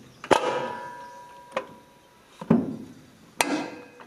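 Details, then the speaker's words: 1949 John Deere Model A two-cylinder tractor, clutch just adjusted by evenly tightening three pressure bolts: four sharp metallic over-center snaps with ringing tails as lever is worked; clutch engaging firmly, properly adjusted. "again just um pushing the lever back to disengage it and you can hear that click that's um what you should hear a nice snap as it"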